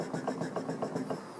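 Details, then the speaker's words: 1987 VW Scirocco 16V front strut spun by hand: quick hollow clunks as the shock wobbles in the worn top plate bushing, which has a large, uneven gap versus a new mount with almost no play. "you can hear that clunking back and forth. There's actually, at the top hat over here, there's actually some play, and as you turn it, the shock is like wibble wobbling inside that top plate, so it should be more smooth."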